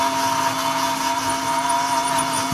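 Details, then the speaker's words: Lesu SK500 RC excavator track final drive after disassembly for grinding, homemade gasket standoff and lithium grease added: steady even high whir, no scraping; slightly loud in reverse where motor torque pushes it out to rub. "so I have my little gasket installed and a little bit loud in Reverse but it's working"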